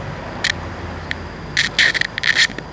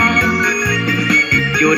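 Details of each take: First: Bluetooth speaker before repair, no music playing: constant hiss with sharp irregular crackling bursts; technician thinks the amplifier IC has deteriorated and plans to replace it. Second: Bluetooth speaker after repair, playing a test song: clean organ-like music with steady tones and no crackle or hiss; noise gone after replacing the large amplifier IC.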